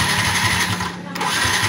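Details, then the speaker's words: Yamaha Vixion injected motorcycle that stalls and won't start, MIL blinking: starter churns at about five pulses a second but engine never fires; no injector ground signal from ECU, which is hot, so ECU faulty. "Ini sinyal massa tidak keluar. Oke, fix ECU-nya bermasalah karena di sini anget ya."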